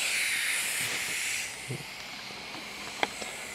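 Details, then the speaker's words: Prototype 3/4" inground sprinkler valve under compressed air: steady high hiss leaking at the worn scrap hose connection, changing when touched by finger; possibly fixable with a different washer. "Without getting a bucket of water, it seems to be leaking from right here. You can hear it when I move my finger there."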